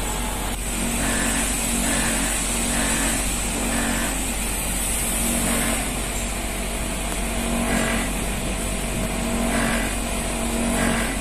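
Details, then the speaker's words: Old Panasonic 1.5 PK R22 split AC compressor: loud steady drone with rough snoring pulse about once a second, as if working hard; early symptom of compressor damage. "the rough sound from the compressor yourself. You can say this is an early symptom of the compressor being damaged, yes, with a sound like snoring."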